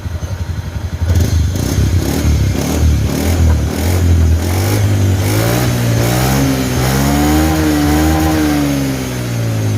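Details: Honda Beat FI scooter after CVT service (crankshaft seal, bearing, shaft, pulley, engine and gear oil replaced; not opened in 4 years): revs up and holds smoothly, no whine or hiss from belt drive; normal CVT operation.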